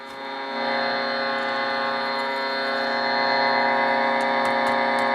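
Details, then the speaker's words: Bearcat BC-210 scanner with about three to four microvolt service-monitor signal: steady buzzing hiss with humming tone and faint regular pulse, lots of receiver noise; power supply ripple suspected, not confirmed. "I'm running a signal in um from a service monitor about a little over three microvolts, three or four microvolts. And I'm getting uh a lot of noise here."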